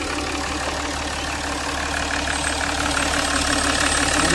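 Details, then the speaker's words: Jaguar XF diesel V6 after injector refitting, valve cover gasket replacement and coolant top-up, for a misfire (P0301) and oil leak: smooth, even, steady idle with no knock or misfire. "Car बिलकुल silent है। मैंने cool भी fill up कर लिया है।"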